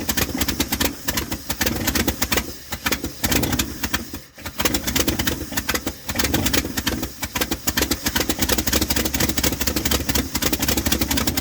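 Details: 1978 Dodge D100 Step Side after fuel pump swap: very slow, lumpy chugging idle barely running; owner thinks it's idled down too low and carburetor screws or mixture need adjusting, unconfirmed.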